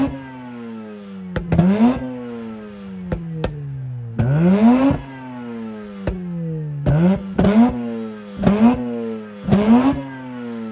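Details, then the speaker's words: Mazda RX8 rotary revived after 2.5 years sitting, owner says not overheating: repeated quick blips sweeping sharply up and back to steady idle; revs freely and cleanly, healthy rotary. "oh boy that was exciting that was exciting you could definitely see the excitement it's so nice to hear this car being alive"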